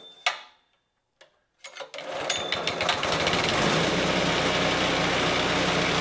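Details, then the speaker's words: Greens iron roller engine after full teardown, cleaning and reassembly, belt tension increased and belt cover still off; after a few sputtering catches it settles into a steady, even run with a light rhythmic patter, running decently. "Oh oh my gosh so having that belt just in the open air that is scary scary business folks it seemed to run decent"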